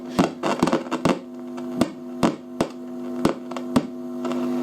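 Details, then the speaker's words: Fidelity HF45 record player with BSR deck, after switch cleaner sprayed on the tone control: irregular sharp crackles and pops over a steady mains hum from the speaker, exactly as crackly as before; worn, partly open-circuit volume and tone pots. "So, we'll plug it back in. Right. And it's exactly the same, crackly."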